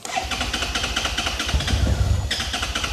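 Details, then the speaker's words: 2011 Suzuki SFV650 Gladius, battery drained so a jump pack is connected: starter cranks steadily with a few ragged firing pulses that catch briefly then die away; it occasionally kicks into life but won't keep running. "it will kind of fire up sort of. So, it's kind of trying to fire up. you do get the occasional like it it kicks into life a little bit but generally on the whole it's not running."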